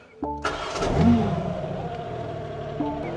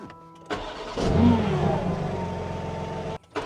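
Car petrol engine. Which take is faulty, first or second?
first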